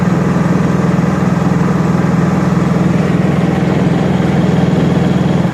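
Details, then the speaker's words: Honda EU3000is inverter generator after restoration, just started on choke, running with no load at 124 volts; steady even low drone with regular pulse, no knocks or hunting, sounds good. "that's wow i'm impressed thing fired right up sounds good listen to it throw a cheapy meter on it 124 volts no load"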